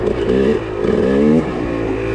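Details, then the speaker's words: KTM 300 two-stroke on a stock Keihin PWK 38 carburetor with JD Jetting kit, trail in second gear: note climbs cleanly under load, no bogging or spitting; pulls crisply from the bottom. "a nice increase from the bottom you can hear it on the video"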